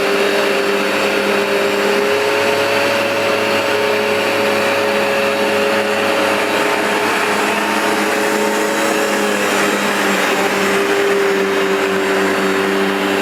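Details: New replacement Vax Dual Power Total Home carpet washer on a very dirty new rug, producing lots of foam: steady high suction-motor whine with even dual brush-bar brushing rush, no catches or grinding; normal running.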